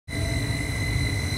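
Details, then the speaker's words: Carrier 58CVA110-20 natural-gas furnace, Jakel J238-150-15217 inducer motor: loud, steady, high-pitched whine over a low rumble that rings through the whole house; worn, wobbling inducer motor bearing before rebuild. "don't know if y'all can hear that huge whining that's the issue like rings throughout the whole house"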